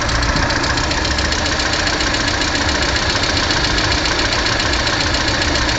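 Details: Lada Kalina 1.4 16-valve engine at idle: fairly regular metallic knock, about two per second, over the engine note; origin unknown.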